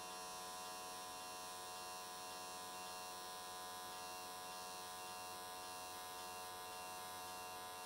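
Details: AC TIG welding an S13 catch can, likely aluminium, at 95 Hz square wave. Steady, even electric buzz with a fine high fizz and no crackle or sputter. Normal, smooth, stable arc, judged a good frequency choice.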